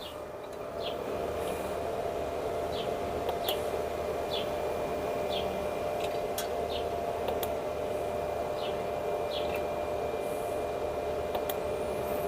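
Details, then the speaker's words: ASMOKE Essential pellet grill on startup, dropping pellets before showing an igniter error (check igniter connection to control board); steady even fan hum with light ticking, fan working, igniter fault unresolved. "There it goes again. It's dropping them. You ready? You ready for that error code?"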